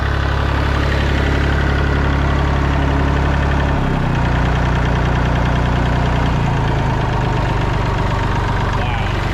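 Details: Massey Ferguson 245 three-cylinder diesel tractor idling after sitting 12+ years, burnt/melted radiator; steady, even low diesel clatter that settles slightly lower partway through, smooth and healthy, charging. Normal diesel idle.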